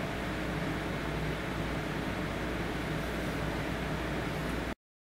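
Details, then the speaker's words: EVGA GeForce GTX 560 Ti 2 Win 2GB video card in open-sided case, fan set to 52% (its full-load speed; idle 35% is inaudible): even steady airy whoosh with low hum, no rattles or pitch changes; not loud, normal fan noise. "So you can kind of hear it sitting out here, but it's not that loud. It's actually pretty decent for full speed at what this gets to."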